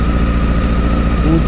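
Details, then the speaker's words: 2007 Honda Hornet 600 four-cylinder at idle during throttle synchronization, misfiring and not holding idle: fast, slightly lumpy uneven thrum as cylinder 1 drops badly on the gauges; vacuum hose pierced by a screw and leaking, misfire from vacuum leak. "Comecei fazer equalização beleza tal na moto falhando funcionei a moto aqui pegou a minha surpresa cilindrou o cilindro 1 caindo demais"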